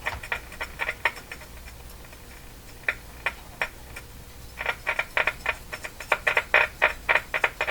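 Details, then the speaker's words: Crosley Mohawk Model 14B tube radio during operational testing after contact cleaner: irregular sharp crackles and pops in bursts over quiet hiss, localized to one spot; sounds like a tuning capacitor plate rubbing. "what is that sounds almost like a the capacitor is rubbing oh there is a plate here which has been okay"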